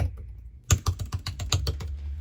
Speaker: the sound is quite reassuring.